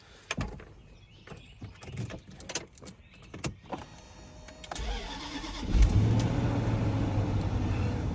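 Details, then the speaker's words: 2006 Range Rover L322 supercharged V8, about 146,000–148,000 miles, sat a couple days: clicks, brief crank, fires cleanly into steady even idle; normal cold start, no dash lights. "So this truck's been sitting for a couple days, but started right up, no dash lights. Sounds great."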